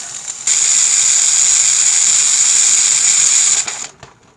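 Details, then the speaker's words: Presto digital electric pressure canner canning homemade stew, 5 jars: loud steady steam hiss starting suddenly and holding evenly as venting speeds up before the system blocks off and pressurizes; normal regulator operation. "Now you'll hear it start to, that one right there, speed up a lot faster."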